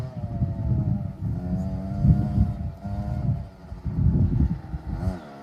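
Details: 2007 KTM 65SX two-stroke after top-end rebuild with a Vertex piston kit, heat cycled, ridden: revving up and down with a crisp ring-ding and sharp throttle response, no knocks or rattles; normal running.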